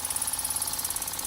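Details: Wilesco toy steam engine, fired up again after five years, running very fast: an even chuff-like beat around eighteen per second with a bright hiss on top, steady throughout; running normally until it later runs out of steam.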